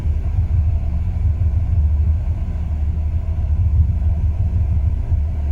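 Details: 2002 Ram 1500 5.9 V8 runs perfect cold, but after 3-5 minutes warm idles rough and rpm drops: steady low rumble with uneven lumpy pulses, no knock; new plugs, wires, cap, rotor, cam and crank sensors didn't fix it.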